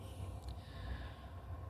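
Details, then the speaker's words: 5 kW diesel heater on a mobile workshop cart, cold start in freezing workshop (-3 overnight), glow plugs on, fan running, some smoke: low uneven rumbling roar builds as combustion catches and pump clicks; normal start-up. "it just sounds like she's coming to life. That's the pump clicking away."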